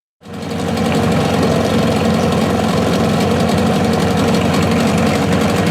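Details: Mariner 25HP two-stroke outboard, 12 years old, cold start running in a bucket of water: fires straight up and settles into a loud, steady, even buzzing run with no misses or knocks; healthy but noisy.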